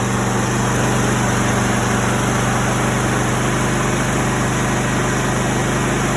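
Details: Push-button vehicle whose no-start was caused by a bad solenoid: a steady, even engine idle over a constant low drone with no knocks, misses or squeals; the engine runs normally.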